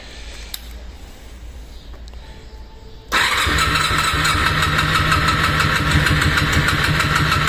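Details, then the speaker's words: Honda VFR 400R NC30 that won't start after its ignition was left on overnight in the van: starter cranks at a steady rapid churn but never catches; the battery then dies and will need a charger. "Venga, venga, le damos otro achuchón a ver si arranca."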